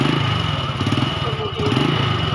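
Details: Motorcycle engine idling after a manual valve clearance adjustment, following loose, noisy valves before: a steady, even single-cylinder putter with regular firing pulses and no valve tapping; normal idle.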